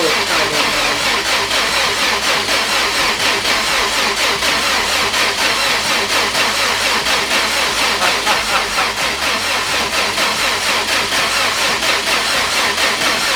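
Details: Subaru GC8 rally car with a replacement high-compression EJ20 and new TD04 turbo fitted after the old EJ blew, first start after priming: a fast, busy idle with hiss and valvetrain chatter, steady and even with no misses or knocks.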